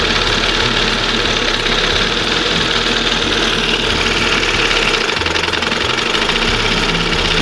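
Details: 1971 Johnson 20 HP two-stroke outboard, swapped back to a conventional side-adjust carburetor after the OMC primer pump failed: steady, smooth two-stroke idle with a light rattly buzz, no surging or high revving; normal idle, still a slight slump to tune.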